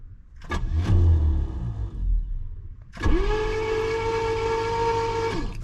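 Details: 1966 Pontiac Grand Prix, 389 V8, automatic, barn find dormant for decades: cranking with the spark plugs removed, the starter gives a steady, even whir and spins the engine freely with no dragging or grinding.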